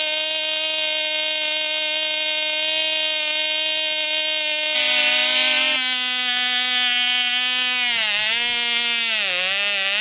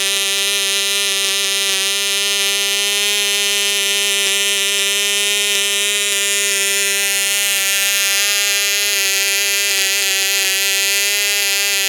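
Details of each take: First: Cox Tee Dee .049 glow engine, castor-stuck and freed, on Sig Champion 25% fuel, strapped to a stepladder; after 6x3 prop peaked around 13K, a 5x3 prop lets it scream high and steady, waver, then quit; healthy run. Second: Cox Tee Dee .049 model engine on Sig Champion 25% fuel with the original 6x3 gray prop, strapped to a stepladder: steady high buzz that peaks only around 13,000 rpm; oversized prop holding it back.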